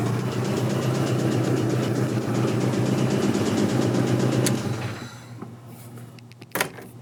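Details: 1986 Toyota MR2 AW11 salvage-yard parts car engine running: steady rapid knock about four per second until shutoff, worn rod bearing; rod knock is pretty bad, engine is toast, though the injection system works.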